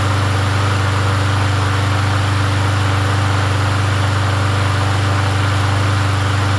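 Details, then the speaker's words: Yard Machines 21-inch push mower with 163cc engine, after an oil change, started on first pull: smooth, even single-cylinder putter at steady speed with no misses or knocks. Normal running. "Starts. First pull. I just got to clean it up."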